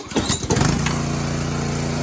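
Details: Karcher pressure washer with Honda 6 HP single-cylinder engine, unused for years, after clearing gunk from the lines and tightening a loose carb bowl that had been leaking fuel; brief start-up sputter, then steady, even running with no hunting or misses.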